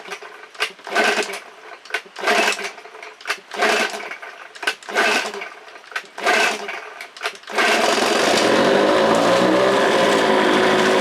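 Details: 1969 Johnson 9.5 hp two-stroke outboard after a carburetor kit rebuild, first start on choke with low-speed setting unadjusted: several pull-start bursts, then catches and settles into a steady, even buzz; running normally.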